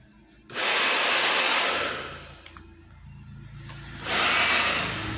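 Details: Hair dryer reassembled after fix for slow running: two bursts of smooth, even whooshing airflow with steady motor hum, no rattle or grinding; runs normally.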